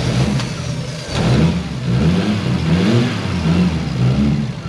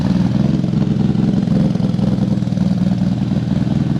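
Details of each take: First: Mk3 Toyota Supra running on a new trigger kit and exhaust after computer tuning: strong deep engine note climbing and settling with clean, even revs, no stumble or knock; much better than before, runs smooth and healthy. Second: Mk3 Toyota Supra on new trigger kit and exhaust, before setup corrected (firing order apparently wrong): uneven, lumpy low rumble with irregular pulsing and clattery edge at idle; running rough, misfiring.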